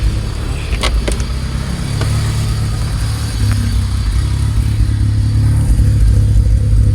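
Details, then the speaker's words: Honda Civic B20 swap, first start after Yonaka exhaust install with new clamps: deep loud rumble swelling with revs, raspy puffing and ticks; exhaust leak suspected, vacuum leak also being chased. "[Music] is still loud so I'm pretty sure they're still an exhaust leak somewhere"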